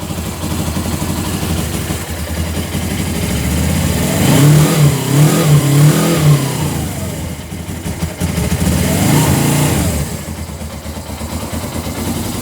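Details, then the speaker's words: 2000 Suzuki GS500E twin, recommissioned after restoration, just restarted. Smooth, even idle climbs cleanly through two throttle blips and settles back steadily, nothing irregular; normal. "But she won't start so well this time. Sounds nice, doesn't it?"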